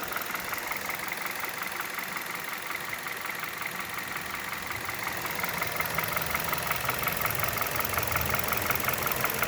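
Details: 2011 Hyundai Solaris G4FC, 166k km, warm at 77°C, 700 rpm idle: regular light tick about three per second, heard from top end and in cabin; source unclear despite new chain, tensioner, phaser, decarbonizing; crankshaft sensor suspected.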